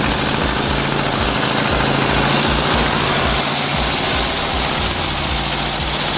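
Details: 1963 Volkswagen dune buggy, air-cooled flat-four, sat 12 years, after new fuel lines and carb clean: even, steady chuffing, no misses or knocks, partly masked by music; runs smoothly.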